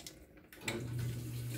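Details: Washing machine after its scaled solenoid inlet valve was disassembled, washed and reassembled: a steady rush of water into the tub over a soft low hum as it fills normally, and the valve now closes properly.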